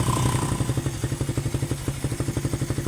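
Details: Suzuki Raider 150 Fi that suddenly would not start with no error code, running during a charging test: even, steady single-cylinder putter with no misses or knocks; charging is fine, and the fault is traced to the battery.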